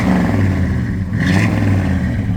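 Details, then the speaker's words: 1963 Ford F100 Stepside V8 in neutral, exhaust: deep even burble with a brief rev, slight whine suspected from the new alternator; healthy engine, no knocks or rattles. "Wonderful sound out of the exhaust. I mean, there's just nothing like the sound of a V8. Give it a little rev."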